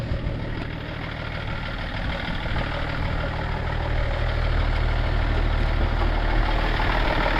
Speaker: Let's start it. I'm scared. Sounds like a diesel.